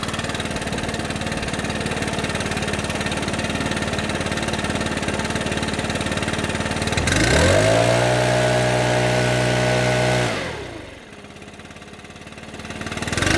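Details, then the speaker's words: Stihl BR600 backpack leaf blower, customer complaint of not reaching full throttle and slight bogging, before repair: small engine idles then snaps straight to steady high scream without stumbling and returns cleanly to idle; reaches full throttle, exhaust screen and carburetor likely ruled out. "Alright, so it's not bogging, and when I hit the trigger it pretty much gets full throttle right away,"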